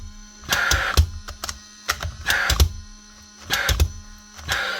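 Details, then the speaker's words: Paslode IM350+ nail gun after fan motor replacement: steady low motor hum under bursts of sharp spark ticking, solid green light; new fan motor running properly. "So now motor start up. You get your solid green light and you'll hear your motor actually running"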